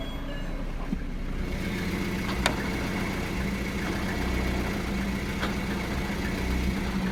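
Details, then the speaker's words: VAZ 2113/2114 (2108-family) gearbox with engine running: steady low hum with a faint constant whine/whistle from the two fifth-gear bearings; slight idle rpm fluctuation also noted; bearings to be replaced. "Сейчас там отчетливо слышен свист подшипников. Здесь. Если вы можете это услышать, то, по сути, это исходит от двух подшипников пятой передачи , которые расположены, ну, наша коробка передач находится здесь, под пятой передачей."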